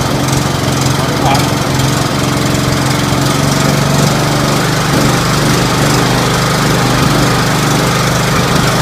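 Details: Scotts 1742 lawn tractor, Briggs & Stratton Intek 17 hp OHV, after head gasket replacement, valve lash adjustment and full service: loud, steady single-cylinder drone at even speed with no knocks or misses. Normal running.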